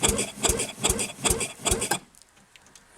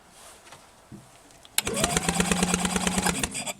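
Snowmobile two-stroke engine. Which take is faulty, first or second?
second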